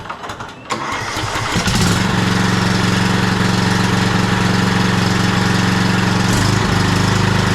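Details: Cub Cadet LT42 riding mower, Kohler KS540 18HP single-cylinder OHV, restarted after topping up oil during service; cranks briefly, catches and settles into a strong even thump with no misses, healthy.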